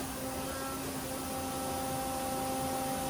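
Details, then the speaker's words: CNC machining center tool changer, resumed after feed hold during a change to the face mill while machining an aluminum ring: a steady mechanical hum and faint even drive whine as it brings the next tool up into the arm; smooth, no grinding. "So now I can let it bring the next tool up into the arm. You can hear it right there."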